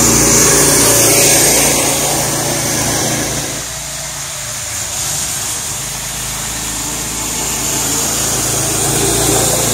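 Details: Small single-cylinder gas engine on an electric-to-gas golf cart conversion, just rope-started with choke: steady running with an even buzzing beat and no misses or knocks; it starts and runs normally.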